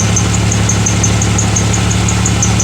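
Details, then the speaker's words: Pontiac Grand Prix, still misfiring after prior shop work and an injector circuit code, running: steady idle with quick light ticking over a slightly uneven beat; misfire from a broken injector wire, computer fine. "our objective post there's nothing wrong with the computer we simply have a broken wire somewhere"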